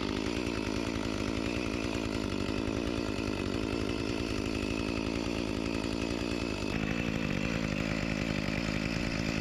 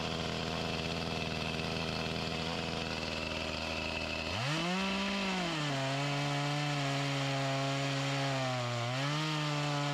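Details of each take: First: Echo CS-352 chainsaw after a replacement carburetor and gasket cured its start-and-die fault, cutting a log after a cold start: steady high two-stroke buzz holding evenly with a slight dip under load; running healthy, with minor bogging blamed on a chain needing sharpening. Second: Echo CS-352 chainsaw with a start-then-die complaint, before repair, cutting wood: steady high scream, then the pitch drops hard and wavers; bogging and lacking power from fuel starvation even with the mixture screws adjusted to max, suspected fuel line.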